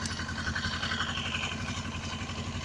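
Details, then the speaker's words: Suzuki GS500E twin, cold start after sitting overnight at about 55°F, following a carb rebuild for an apparently clogged pilot jet. It starts instantly and gives a steady, clean low putter on partial choke with no stumbles or popping. "Yeah, so I'll just let it idle for a moment. And give it a little bit less choke here."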